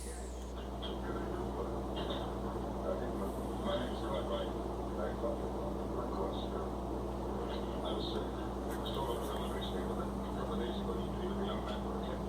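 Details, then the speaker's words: Electric furnace in a trailer after repair for slow-to-come-on heat, restarted: steady electrical hum and even blower rush with no rattles or scraping; blower and heat running normally. "We're going to turn it back on here and we should see it take off 20 amps and the blower should come on."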